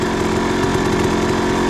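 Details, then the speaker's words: Suzuki RM250 two-stroke with new Lectron PRO carburetor after tuning: sharp buzz hanging at a raised idle before dropping; owner suspects slightly lean on the rod, idle circuits still need tuning. "I might be a little bit lean on the rod still. Got this high idle, there it goes."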